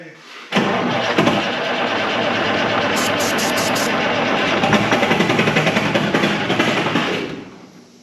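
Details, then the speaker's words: 1976 Ford F250 with a swapped Detroit Diesel 4-53T, sitting since 1996, ether sprayed: long steady cranking with an uneven, churning rhythm that never catches; engine turns over but won't fire, cause suspected, not confirmed. "I think it's just a starter engaged and it's trying to roll over oh maybe yeah like the starters like not looks like rolling faster than the starter yeah trying to crank it over"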